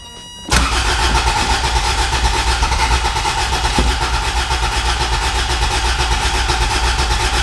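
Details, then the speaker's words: Abandoned Toyota MR2, starter fluid used: starter cranks steadily and quickly with an even chugging beat but never catches; crank no start, fuel supply suspected, old starter being overworked. "yeah you're just cooking the starter right now"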